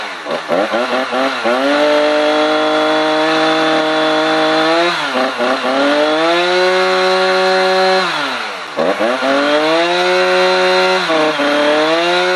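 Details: Husqvarna 455 Rancher chainsaw after a new spark plug (0.5 mm gap), air filter already ruled out, on owner-mixed fuel: screams at high revs but pitch sags whenever it cuts, then climbs back.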